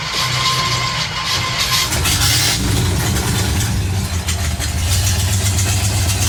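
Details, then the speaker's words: Engine, cold start after sitting, very low compression (cranks a minute and a half without draining battery; rings or valves suspected): uneven, lumpy idle with wandering, stumbling beat; runs terribly, rough running. "this thing is so low on compression that like you can crank it for like a minute and a half straight and it won't drain the battery like it's a total turd for compression"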